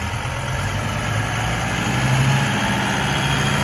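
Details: 2008 John Deere 5325 4x4 diesel tractor, about 1,300 hours, in near-new condition; smooth, even low diesel rumble at steady idle, no knocks or misses, normal idle.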